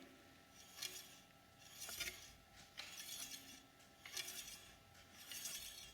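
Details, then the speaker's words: Bicycle disc brake after re-centering the caliper, tightening its screws with the lever held and pumping the lever. Wheel spun by hand gives a light, airy scraping swish about once a second, faint but steady. Disc brake pad slightly rubbing on the rotor. "don't know if you can hear that but there is a little bit of rubbing um it's not a lot it's not terribly bad"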